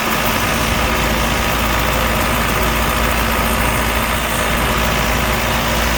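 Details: Allis Chalmers 6080 tractor diesel after an overhaul, mowing with a mower deck. A steady, even drone holds its pitch while working, with no knocking or rattles: normal running under load. Fuel use is low and the front wheel assist works.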